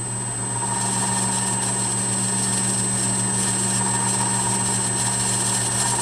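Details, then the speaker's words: 1/2 HP three-phase motor on a VFD, ramped to full speed at 60 Hz, with a furnace running in the background: smooth, constant low hum with no knocks or rubbing, though there is a little noise; the motor runs normally. "and that's full-speed there that 60 Hertz so feels really smooth"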